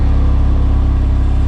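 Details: 2006 Chevy HHR on its first test run after the rusted fuel pipes were replaced with nickel-copper lines: a steady, even low rumble with no knocks or ticks, a clean idle, and no fuel leaks found.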